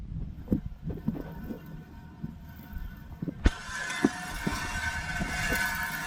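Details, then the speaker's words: 2004 GMC Sierra 2500, front driver side, noise worse when turning, no wheel bearing play, truck parked years: irregular knocks then gritty scraping rush as it rolls; rust buildup trapped inside the front rotor grinding, not a wheel bearing. "sounds like wheel bearing but it also could be a rock"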